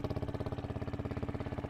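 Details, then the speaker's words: Yamaha WR125 single-cylinder motorbike warming up before oil change: fast even beat, about fifteen pulses a second, idling too high from air leak through split inlet manifold boot, before new boot fitted. "and the uh the boot on the inlet manifold is split so if we put a a decent new boot on the inlet manifold hear the difference"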